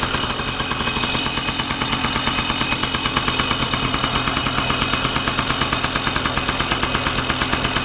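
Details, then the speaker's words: 1990 Yamaha PW50 two-stroke, recently bought used, first start: steady fast idle with a light metallic chatter on top; a slight rattle from the engine, source not yet found, to be looked into. "as you can hear is a little bit of a rattle in the the coming from the engine back we uh look into"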